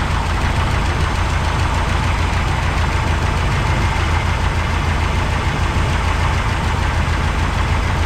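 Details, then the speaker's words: 1985 GMC C25 V8 at idle during a valve adjustment, lifters set at 1/8 turn, oil not yet changed: light, fast ticking over a low rumble; lifters still noisy and need readjusting. "I'll probably have to go back through and do them all again because I got so much noise over here."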